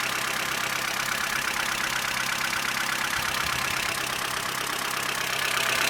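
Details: Opel Corsa C 1.4 Z14XEP at idle: a fast, fairly even light rattle about three per second in the upper range, and the owner suspects the timing chain needs replacing; not confirmed.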